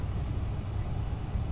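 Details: Furnace blower with a newly installed replacement blower wheel; the old wheel rattled, and the owner disputes a shop's claims of a twisted shaft, bad motor bearings and bad mounts. Short, steady low rumble with no rattle or knocking: sound and balanced.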